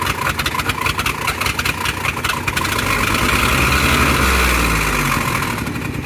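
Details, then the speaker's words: Ford Transit van from Florida auction, after starting: uneven stumbling idle with irregular lumps and surges, too rough to drive to Gainesville, cause unconfirmed; rough running, misfire. "the van is too rough to drive all the way from here to gainesville"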